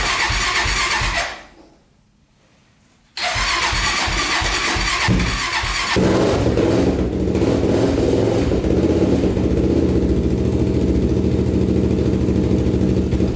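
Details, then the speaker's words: 1999 Honda 400ex carbureted single, baseline before a turbo install, in a cold shop at about -16 degrees on a new battery. Cold start on choke restarts cleanly into an even, steady idle; normal cold start and idle. "running with the choke on for a bit here running pretty good let this thing warm up and then we'll uh start digging into it but this is the baseline for how it sounds and how it runs"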